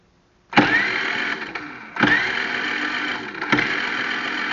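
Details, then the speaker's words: Generac IQ3500 generator, carburetor recently off, blown fuse bypassed with jumper wire; three separate bursts of starter cranking, each a second or so of churning with no firing catch; cranks but no spark, does not start. "Okay, it is not fired. So, I will be back in a little bit."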